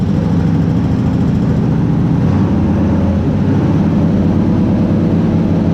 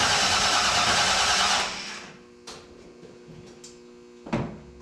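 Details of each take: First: Shop truck with a carbureted 350 V8 swapped in for a hurt 383, on its first start after reconnecting the distributor power wire, recorded indoors in the shop; loud, steady low rumble with no knocks or misses and good oil pressure; normal running. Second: Shop truck after an engine swap: the starter spins the engine evenly for under two seconds with no firing; crank no start, suspected lack of spark because the distributor power wire was unplugged from the fuse block.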